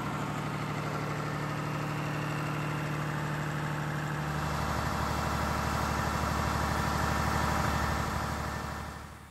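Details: Air-cooled 109.5HP Lister diesel farm backup generator (about 100kVA), monthly check start: very loud steady even firing rhythm with constant fan roar, over 90 dB; normal smooth running.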